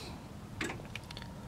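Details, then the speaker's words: DeSoto S11 with a slow starter and 4-terminal starter solenoid: a single sharp click, then faint ticks, as the key is turned off. The solenoid drew about 18 amps without engaging; owner suspects a solenoid or starter fault, not confirmed. "you hear that click oops my bad so you know I definitely have problem I'm pretty sure there's problem right there"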